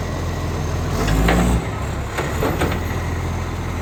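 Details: Ryde Recycling Acco refuse truck SL757, diesel, going into its 11th year of service, on its collection run: heavy diesel idle with a deep rumble and sharp puffing bursts over it; exhaust leak.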